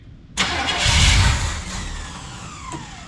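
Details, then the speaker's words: 1968 El Camino SS 396 big block, sitting since 2011. It cranks, catches briefly and roughly, then dies. Owner blames a fuel pump diaphragm ruined by fuel sitting about 10 years. "what a piece of [ __ ] fuel pump it can't set with fuel in it for years"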